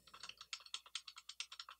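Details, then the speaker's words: KBP V60 Type R 60% mechanical keyboard with metal plate: quick bright clacky presses with loose tinny rattle from dry stabilizers, worst on backspace and enter, less on spacebar; fixable with dielectric grease. "The stabilized keys on this keyboard have a lot of rattle. You can hear it a lot on the backspace"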